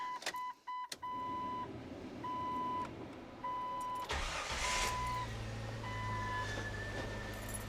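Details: Jeep Wrangler after serpentine belt squeal fix, started with AC and cooling fan on for maximum belt load: door chimes, engine cranks and settles into an even idle with no belt squeal; normal belt operation.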